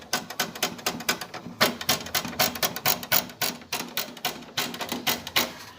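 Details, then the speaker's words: Fiat Uno rear tailgate: quick, uneven, sharp tinny metallic ticks, about four a second, from a loose metal lock rod inside the hatch vibrating while the car is driven. "Tem uma vareta metálica aqui dentro, ó, que quando você anda com o carro ela vibra e faz esse barulho,"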